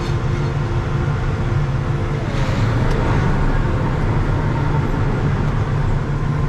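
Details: Combine's first run of the year after prep, concaves opened slightly, quick test run: deep steady drumming rumble with even beat, no knocks, squeals or surges; normal threshing run.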